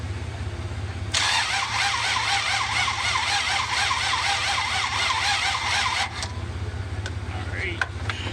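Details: 1966 Buick Riviera GS with rebuilt heads, before trying starter fluid: starter spins the engine evenly about five seconds but it never catches; cranks without firing.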